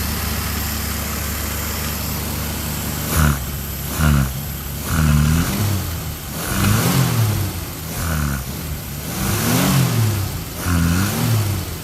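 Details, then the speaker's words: Old French car with a carburetor and automatic choke running on fresh fuel, brakes still locking up: even idle then quick throttle blips that rise and fall cleanly without knocks or misfires, running smooth like a sewing machine; engine runs healthy. "Sounds pretty good. Sounds like a sewing machine. We got fresh fuel. That's nice."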